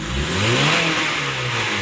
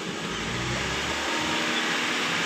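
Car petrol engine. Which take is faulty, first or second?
second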